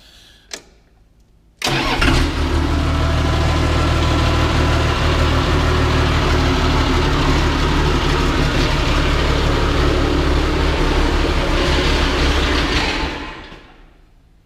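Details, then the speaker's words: Cat D3C LGP dozer fired up in the shop after a blown hydraulic hose was replaced and hydraulic oil refilled. Catches quickly and runs a steady diesel idle about eleven seconds, then winds down and stops; owner believes it ran out of fuel. Engine stalls after starting. "guess it's out of fuel now. That's definitely what it acted like."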